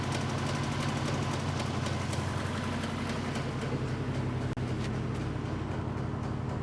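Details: V8 with backfiring, warm, spark plug wires pulled one at a time: lumpy idle with a stumbling beat near four a second and hollow, lopsided rhythm; one cylinder not firing.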